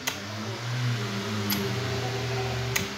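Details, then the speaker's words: Britânia turbo desk fan after fitting ball bearings to the bushing, which had been noisy; extra washer added to take up play; now runs with steady even low hum, no rattle or scraping, bearings quiet. "Então é uma coisa muito simples, tá? Que eu gostaria de compartilhar com vocês, que a gente colocou o rolamento nesse ventilador da Britânia, tá? E o mesmo estava carcasseando, tá?"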